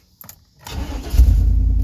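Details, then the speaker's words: Lightly driven vehicle started after sitting about a week: brief click, then it catches almost instantly and settles into a steady, even idle; clean start, though it has a bad exhaust leak. "man it fired right up hasn't even I didn't even fire it up at all this week just a little bit last week that's it not even for a minute it fires up quick"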